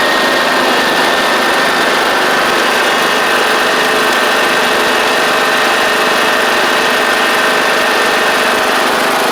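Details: John Deere D110 riding mower with a newly installed engine, test-driven out at almost 400 hours on the meter: a loud, steady, even engine note with no surging, knocking or misses while driving, so it runs healthy.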